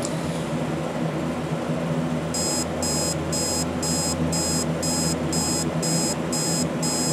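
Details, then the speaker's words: Alarm clock with dirty switches; bursts of high beeps about twice a second over a low room hum, quiet; owner suspects the beeper is muffled by a price sticker covering it, not confirmed. "it's not all that loud but I think that the reason is known all that loud is because the beeper is being covered up by the price sticker"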